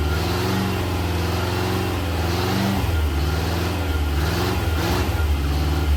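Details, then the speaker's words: Rebuilt classic Rover P6 V8 (bent rod rebuild) under load on engine dyno, heard from outside, pull from 2,000 to 4,900 rpm: steady deep V8 note climbing smoothly with revs, no knock or tapping; normal running under load. "found the dino pumps we're going to do a quick Dino Pole now we're going to do a quick run from 2,000 RPM to 4,900 just so you can see it and hear it from out here"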